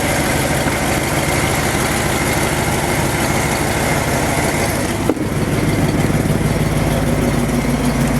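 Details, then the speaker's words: Ford F250 truck (possibly OBD1) after fuel pump work, idle adjusted down to about 900 rpm (spec around 800), likely running on IAC: even steady idle with smooth low beat, no knocks or misses; running good. "I'm actually happy with this. It's running good. It's running good."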